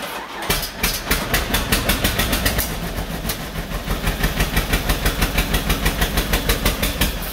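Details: 1949 John Deere B two-cylinder, first start after rebuild on used spark plugs: slow uneven popping about three firings a second, stumbling and surging, running rough and stalling; owners suspect it needs more throttle or plugs, cause unconfirmed.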